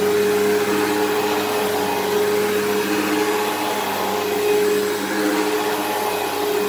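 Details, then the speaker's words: Eureka Whirlwind True HEPA 4383 vacuum on high setting: steady motor roar with a thin, constant whine on top; the brush roll bearings sound worn and it probably needs a new brush roll, while the motor sounds fine. "Well, that brush roll does not, the bearings on that brush roll do not sound the best. Probably needs a new brush roll."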